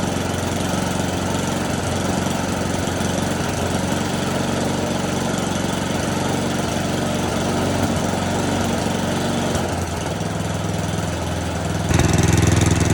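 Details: Snowblower small engine: steady, even note holding smooth through throttle changes with no misses or surging; normal running.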